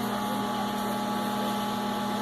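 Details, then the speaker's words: LG MS3042RA microwave after repair of blown LNK364 power supply IC, replaced with an extra supply board from another microwave: switched on and started for 30 seconds; steady even hum, low drone, faint fixed tone, no crackle or buzzing; normal operation. "Ele tá ligando, beleza. Vamos pressionar iniciar aqui, 30 segundos. Já iniciou."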